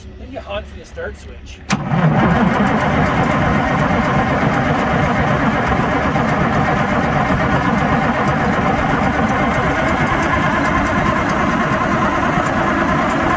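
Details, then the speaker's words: Allis Chalmers HD11 crawler dozer diesel that sat 3 years, oil topped up, ether alone not working: starter cranks in a steady roll of about three turns a second but it never fires; fuel supply suspected, injector line to be cracked. "Well, John said ether alone's not working, so now we're going to crack ejector line, see if we can get any fuel through, and then probably go back to ether."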